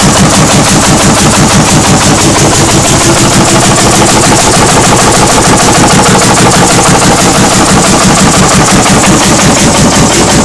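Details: 1940 Lanz Bulldog hot-bulb single-cylinder tractor engine, first start after 40 years: loud, sharp single-cylinder bangs at a steady, even beat of about three per second; engine running properly.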